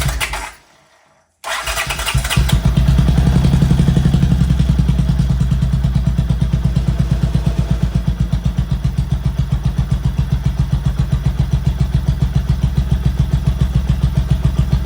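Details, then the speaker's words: 1979 Honda CX500 during a start attempt after missing hardware was replaced and the throttle sleeve installed. It catches after a stumble, then settles into a lumpy, uneven chug. Getting too much fuel; owner suspects the carbs. "okay yeah definitely getting too much fuel so have to dive into that issue"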